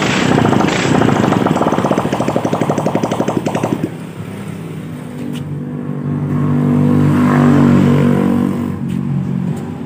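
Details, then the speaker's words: Honda Beat scooter started right after its gearbox and CVT components were reinstalled (gasket reused with sealant) to confirm stable running: it settles into an even, steady beat with no clatter or grinding from the belt case; normal. "Baiklah untuk selanjutnya kita Nyalakan motornya untuk memastikan Stable dalam posisi normal pada"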